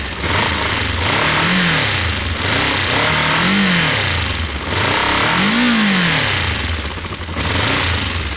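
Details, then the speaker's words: Motorcycle now back to running like a normal bike, recorded before a few minutes of idling: engine rises and falls smoothly through three crisp, even blips with no misfire or stumble; normal revving. "yeah sounds very good all right um i'm going to idle that for a few minutes let it run through that fuel basically"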